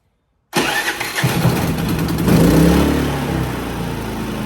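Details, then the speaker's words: Harbor Freight Predator 3500 inverter generator cold start after maintenance with new NGK BRP spark plug (gap about 0.030–0.031), carbon cleaned, not fully reassembled; catches at once and runs steady and even. "up a cold start pretty pretty well with that new spark plug with the uh the BRP ades"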